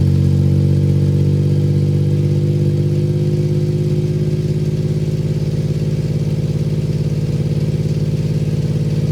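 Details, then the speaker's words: 1993 Suzuki Carry mini truck at idle after a custom exhaust replacement with a temporary flex-pipe setup: a steady, deep, even burble with slight rev rise and fall and no rattles or leaks; the exhaust sounds healthy. "got a pretty deep tone to it uh it's kind of a more enjoyable deep tone than"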